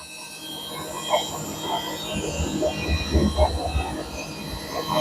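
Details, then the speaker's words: Samsung 7 kg front-load washer after replacing the drum shaft spider, spin cycle: smooth motor whine building as the drum speeds up, no knocking, banging or grinding; repair successful. "now it's uh increasing RPM no any abnormal noise from the machine you can see here"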